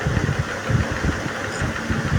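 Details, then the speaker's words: Vespa PX 150 two-stroke, rebuilt after its kickstart gear kept wearing out (blamed on high compression), kickstart gear seat re-machined: one kick and it catches straight away into a steady low putter, no slipping or grinding; normal kickstart engagement. "Nah, langsung plung ya, Teman-teman ya. Langsung ee los ya."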